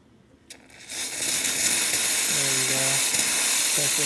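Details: Laking Avanti espresso machine after a full service and tune-up: a strong, steady steam hiss builds and holds with a few low tones over it as the machine heats; the steam wand is running normally.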